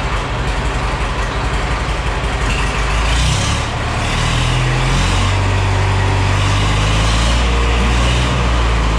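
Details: Caterpillar D311 Series H diesel generator set, first run after rewiring: deep steady diesel thrum with even low beat, pulling a touch harder partway through; running healthy and apparently making power.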